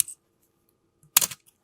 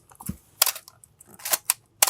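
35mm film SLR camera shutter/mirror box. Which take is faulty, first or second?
first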